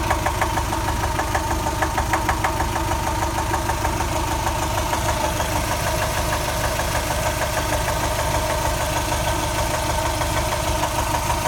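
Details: Subaru 2.5 engine (rebuilt from 2.2 to 2.5) at warm idle: steady regular knock about three beats a second from the driver's side, absent when cold and disappearing on acceleration, returning at idle; cause unknown.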